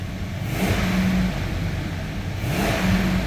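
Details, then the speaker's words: 2003 Toyota 4Runner V8, just started on a used battery: two clean throttle blips rising and falling smoothly over steady idle, no knocks or ticks; normal free revving. "that sounds good all right let's take a look under the hood"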